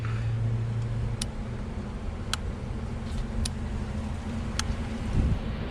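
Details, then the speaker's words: 2004 Dodge Ram 1500 4x4 4.7L V8 with a crank-no-start: fuel pump relay (No. 58) cycled by scan-tool active test gives sharp single clicks about every second over a low hum; relay switching normally, the fuel pump later found bad. "she active test fuel pump relay okay start actuator we should hear it clicking"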